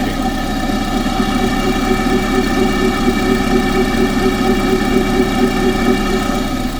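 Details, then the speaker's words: Engine at idle, pipe stethoscope near the water pump: steady whir over the engine beat; owner suspects the water pump area, not confirmed. "But anyway, my noise seems to be coming from the water. I seem to think it is related to that area since I've done that body"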